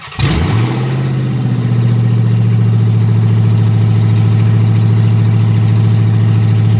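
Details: Dodge Hellcat Magnum supercharged V8 first start after TCM repair and new fuel line, cooling systems bled, open headers without exhaust: catches quickly, settles into loud deep even idle, no knocks or misses; runs healthy.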